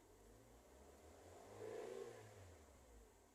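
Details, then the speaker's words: Used-car inspection, engine revved up and back down: smooth rise and fall with no knocking; normal. A knock would suggest bearing, piston or piston-ring damage needing an overhaul. "Nah, ini bagus nih, nggak ada knocking ya. Kita bisa dengarkan juga di mesin. Normal ya, nggak ada knocking"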